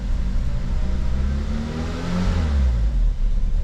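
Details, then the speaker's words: 2009 Ford Fusion 2.3L engine held at raised revs with a deep, slightly unsteady rumble; it runs only at higher RPM and won't idle, possible misfire, from a vacuum leak traced to a faulty intake manifold. "so it'll run or come out of it at higher RPM that it don't idle"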